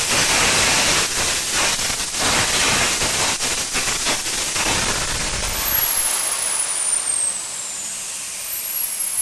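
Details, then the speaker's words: SWIWIN SW220B micro turbine, first raw factory-setting startup on test stand at about -24°C (-10°F): loud rushing roar with high whine that holds then sags on the fuel ramp; fuel starvation because the tank vent plug was left in. "i started really well i'm impressed with how it started it hung a little bit on the fuel ramp now that's my fault i forgot to take my vent plug out of my tank so it was restricted sucking fuel"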